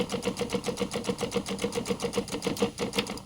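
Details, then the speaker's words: Intercooler water spray pump feeding a 3D-printed five-nozzle spray bar: small pump buzzing in quick pulses, about four a second, then cutting off as it races once the reservoir runs out of water. "You'll hear the pump run very quickly when it gets to the end of the water. I'll stop it before it runs completely dry."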